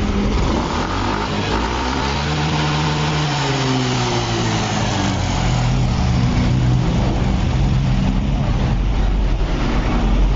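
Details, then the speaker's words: Yamaha Fino 125 scooter after a simple fix with no engine teardown: the engine blips briefly, then settles into an even, steady idle with no knocking. Before the fix it ran very rough with a loose-piston-like noise and stalled when the throttle was released. "Ternyata ini sepele nih. Enak. motor bisa stasioner normal."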